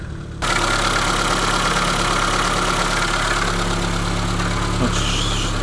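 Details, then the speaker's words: ZAZ Sens 1.3 at steady idle with an uneven, chaotic light knocking from the belt end; owner suspected the water pump or tensioner roller, and both were replaced: water pump bearing knock. "кто-то стучится этой стороны похоже на помпу или ролик 3 помпа такой хаотичный звук"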